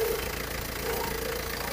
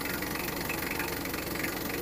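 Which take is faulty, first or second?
first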